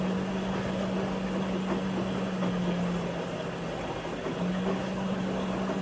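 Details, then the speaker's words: LG WM4000HWA front-load washer, Allergiene cycle with steam: steady low recirculation pump drone with rushing water, all four TurboWash nozzles spraying full blast, only a trickle from the atomizing sprayer; no rattles or grinding, normal full flow. "but yeah all four turbo wash nozzles full blast love to see it"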